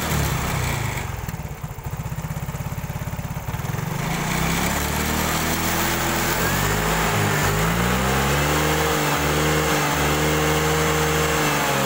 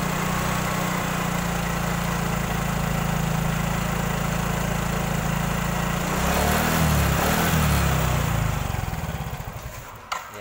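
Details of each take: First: Yamaha Mio/X-Ride scooter that jerks and stalls suddenly, as if losing spark or fuel, started after the fuel pump was replaced. It catches after a brief crank, then revs up and down cleanly with a steady exhaust note; running normally. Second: Yamaha Mio/X-Ride type scooter on centre stand, stationary: steady single-cylinder running, revs rise under throttle then the engine suddenly dies as if losing power, restarts then dies again; stalling from failing fuel pump.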